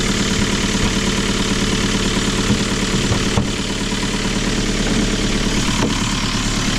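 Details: Kia Ceed 1.6 diesel just started in frost (about -12 to -14 °C outside) with a Dnipro-M JS-12P jump starter after the battery died: even diesel clatter about three beats a second, no misses or hunting; normal idle.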